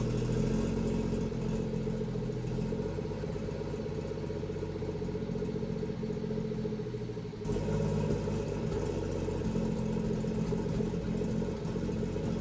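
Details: BMW M240i with B58 engine after installing a catless VRSF downpipe: idle uneven, pulsing about 220 beats a minute with slight stumbles; rough idle, cause unknown.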